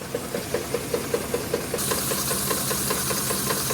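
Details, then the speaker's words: 2010 Ford F-150 5.4L 3V, under 90k miles, at idle: sharp, even knock about 2.5 per second, louder on passenger side, worse over 5 days, vibration felt at VCT and oil cap; owner suspects cam phasers, not timing chain; undetermined. "Listen to this. Knock knock knock. Driver side. Definitely louder on the passenger side. It's gotten louder over the last 5 days."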